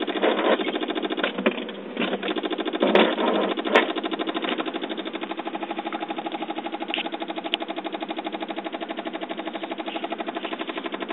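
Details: 2007 Saab 9-5 turning the key: fast, even chattering clicks instead of cranking; after the battery is charged from another car it starts, then dies. Cause not pinned down; rapid clicking when trying to start.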